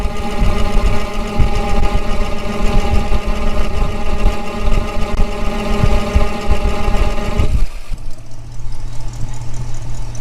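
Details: 1965 Mustang convertible, refreshed 289 V8 with AOD conversion, restarted after tightening exhaust leaks that appeared after Hurst crossmember install: deep, even, loping idle, much quieter, no ticking or puffing from the exhaust.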